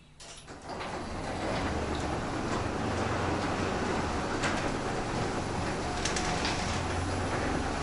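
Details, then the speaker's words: New Genie garage door opener after replacing the old opener; short start-up, then smooth, steady low hum, quiet enough to hear birds, no knocks or grinding, healthy operation. "this is what we get listen how quiet it is you can hear the birds right"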